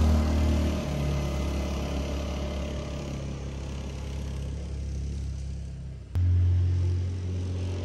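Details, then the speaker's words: Kymco after fuel pump replacement with Walbro pump and submersible in-tank fuel line, fixing no-start and sluggish running: even low engine rumble idling steadily, a brief dip then firmer steady run; idles okay, seems fixed. "and it's still idle okay this time I think it's fixed"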